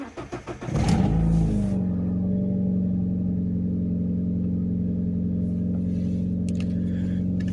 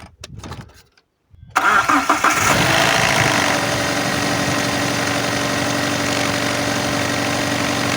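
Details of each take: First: Alfa Romeo 156 Twin Spark, intermediate idle adjustment system, 24 hours after repair for a 3,000–4,000 rpm idle: engine catches first crank and settles into a smooth, steady cold idle that drops as it warms; possible exhaust problem, idle control appears to function correctly. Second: Alfa Romeo 156 Twin Spark, owner complaint of 3–4,000 rpm idle: cranks, catches, flares and settles to a steady but fast idle near 2,000 rpm that never drops; a loose cable was found, cause not confirmed.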